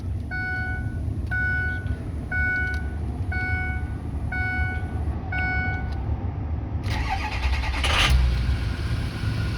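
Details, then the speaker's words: 2007 Ford F250 4WD, 6.0 diesel, 147,000 miles, cold start after sitting a couple of days, glow plug code present: chime beeps, brief crank, then catches promptly and settles into a smooth, even idle with no smoke; normal cold start. "Starts up great. Sounds like a really good 6.0 should. Idling very smoothly."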